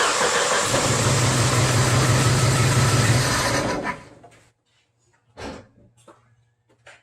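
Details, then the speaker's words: Jeep Wrangler TPI engine, new but faulty spark plug, injectors unplugged one at a time: shakes and lopes unevenly about three beats a second, then dies, running on two cylinders; sputtering traced to one bad spark plug. "Now we have a 2-cylinder Jeep."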